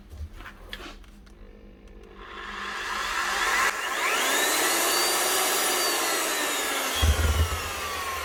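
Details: Refina plaster mixing drill (possibly Alfra/Eibenstock type), old and dirty, after repairing faulty lead and switch and reconnecting live and neutral: motor spins up smoothly to a high, even whir with no grinding or stutter; running healthy.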